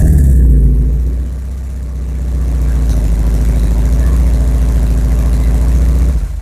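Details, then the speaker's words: Porsche 944 before exhaust replacement, exhaust held together with paste, stick-welded headers, bolts backing out: loud, deep, uneven burbling idle with wet, flatulent pulses and heavy low rumble from a badly leaking exhaust. "This is going to make a big improvement on how the Porsche sounds, because right now it sounds like a wet, greasy fart. It's really, really bad. It's like one of the worst sounding cars I've ever had."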